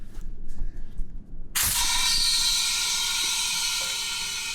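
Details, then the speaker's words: Kenworth T800 frame under a K100 cabover, air suspension bags filling from the shop compressor with a steady rush of air and no big leak hiss; suspension airs up fine, though one bag not filling fully. "All the bags popping. Oh! And you hear that? No big air leaks."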